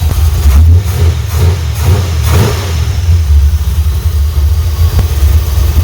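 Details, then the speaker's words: Chevrolet C10 V8 with oily intake and oil and water leaks: revs in uneven blips, slow to pick up on each throttle stab after fitting an old accelerator pump diaphragm; weak accelerator pump suspected. "put another accelerator pump diaphragm back there but I don't guess it's working it was just the old one I found out in the shed"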